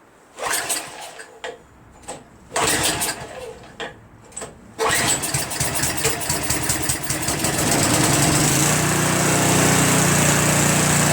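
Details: Craftsman Trac Plus 23-inch dual-stage snowblower, 5 HP Tecumseh, first cold start after a year stored without stabilizer, fresh gas, full choke, pull start, dark oil due for change: several pulls catch briefly, then fires and settles to smooth even idle; normal.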